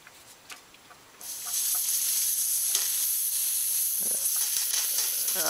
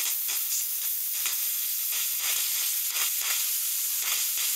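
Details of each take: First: Air bubbling noise at the heater core, worst when cold; engine running as a cooling-system fitting is backed off to let air out: a steady high-pitched hiss starts abruptly and holds as air escapes; air being purged from the cooling system. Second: Car cooling system with bubbling noise at heater core when cold, bled: steady high hiss with soft irregular sputters from the bleed point, only steam venting now; trapped air purged.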